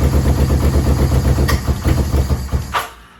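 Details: Yamaha VMAX 1200 that sat about 5 years, cold and on choke, running on a jerry-rigged fuel pump with no smoke: a low, uneven, lumpy burble that fades near the end. It dies when the choke is off. Owner suspects clogged carb jets and has ordered a rebuild kit.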